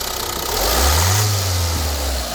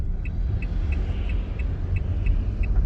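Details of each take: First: Opel Movano biturbo diesel with recently replaced injector nozzles, one injector knocking only under road load; blip from idle with current clamp on cylinder 1 injector and microphone fitted: smooth rise and return, even rumble, no knock; normal free rev. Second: Opel Movano 2.3 biturbo diesel, injectors recently repaired with new nozzles: sharp regular tick about three times a second over diesel rumble while accelerating from 20 km/h under load; stethoscope and oscilloscope point to one injector, cylinder 1 suspected.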